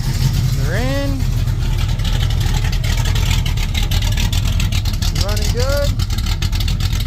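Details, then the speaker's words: 1967 El Camino small-block Chevy 355 with Vortec heads and a big cam, fired up with the valve cover on after the PRW 1.5 roller rocker install. Lumpy idle with crisp throttle blips and even firing; no rattle, tapping or rocker hitting heard. "Let's fire it up and see if it rattles or anything. I don't hear any hitting. That was pretty good."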